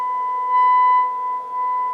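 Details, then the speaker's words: Low-hours 1970s Sansui 9090 receiver, first power-up on bench on speaker A: steady high test tone with harsh buzzy edge swelling and fading, distortion on the left channel; dirty control pot suspected. Distorted test tone. "there's our tone sounds like we got a distortion on the left"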